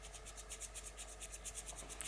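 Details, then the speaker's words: Old bicycle headset bearing spun by hand: gritty, scratchy rasp pulsing about eight times a second, relatively noisy with a rough spot, before replacement with a new bearing. "relatively noisy and it's got a rough spot"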